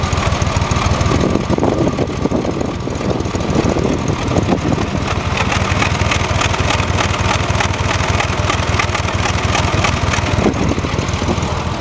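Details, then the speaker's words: Chevrolet Corvair Monza air-cooled flat-six, driving uphill: uneven lumpy idle with random stumbles, missing on one cylinder; owner suspects a fouled spark plug again. "so why is she missing on one cylinder I ain't pulling no spark plugs come on back"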